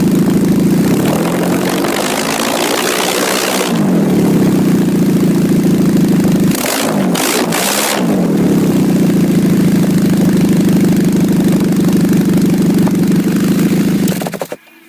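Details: 2006 Nissan Altima at idle and on revs: loud, raspy, motorcycle-like exhaust note swelling with revs; exhaust leak at the flex pipe.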